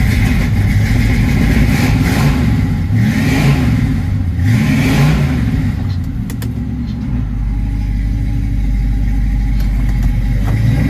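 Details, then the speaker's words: 1979 Chevrolet Camaro Z28 V8, Hurricane Ida flood car, carb hand-filled with fuel pump needing replacement: deep, even rumble climbing cleanly with each throttle blip and settling back smoothly; runs well, though loaded with water. "Anyway, you can hear the thing actually runs real good, and boy, is it loaded with water."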